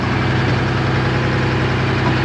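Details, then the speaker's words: 1975 International Loadstar 1850, Detroit 6V53 two-stroke diesel, fuel drawn from a bucket after fixing loose fuel lines: deep, steady idle drone, even and unbroken with no knocks or misses; normal idle. "boy it sounds kind of cool fellas"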